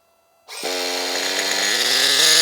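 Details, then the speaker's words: Team Associated RC10GT nitro RC car, engine primed and glow plug lit, first start after slipper clutch work: the engine revs with a harsh, strained buzz that holds back rather than spinning free. Owner suspects the slipper clutch is too tight. "right so i've stopped that because i think the uh slipper the slipper clutch is a little bit too tight so i just need to adjust that"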